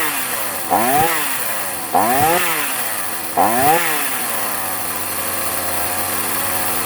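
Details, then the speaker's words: Two-stroke chainsaw after service and adjustment at the workshop: revs up in three bursts then settles to uneven buzzing idle; still not 100%, rough running, needs more carburettor adjustment. "Isso que ainda não está 100%, certo? Eu ainda vou dar mais uma trabalhada nela para deixar ela redondinha."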